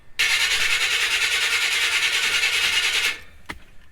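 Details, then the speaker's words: 1976 Chevrolet C30 dually with a 454 and a freshly installed Holley Sniper EFI and HyperSpark. Fast, even cranking with no firing, after one brief pop earlier: cranks but won't start. Owner suspects ignition timing, with cranking timing set at 15 degrees. "all right we got nothing we're not even popping off so i'm just not sure"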